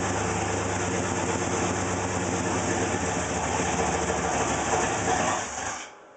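Uneven, lumpy idle with a loose, irregular pulse of about three beats a second before the engine shuts off; it is running rough.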